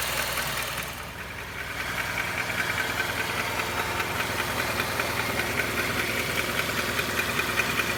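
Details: Honda CR-V at steady idle: a sharp, regular tick/clack about two or three times a second over the engine hum; source not identified.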